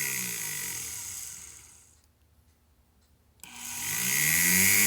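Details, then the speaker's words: Brushed-motor power carving tool on a fan/dimmer switch speed control: high motor whine winds down and nearly drops out then spins back up fast; won't run at low speed on the dimmer, this is about the slowest it runs. "what I've also played with is a fan or a dimmer switch and so I put one in this little box here have the control here and once again as I turn it on it it won't run very"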